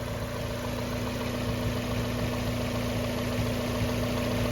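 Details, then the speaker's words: 1994 Mazda Miata first start after winter storage: steady idle with a constant low hum that the owner hears coming from the air box; owner wonders whether a mouse got in, cause unknown. Humming noise at idle. "car's idling nice no complaints [Music] i hear a humming sound"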